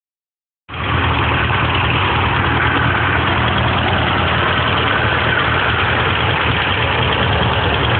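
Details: Rebuilt 1978 Porsche 924 engine idling with light, steady ticking over loose tappet clatter. Some lifters are very loose because the valve stem tips weren't ground during the valve job, and the adjusters are maxed out. Valve tick from excessive valve clearance.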